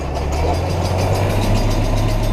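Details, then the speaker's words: Stone rattling loose inside a straw baler during harvest, irregular hard rattles under the low drone of the running baler; stones get in when a bale edge is driven over and turned up, and the baler had just been unblocked. "You hear it rattling around in there. That's probably the biggest trouble with baling of the straw."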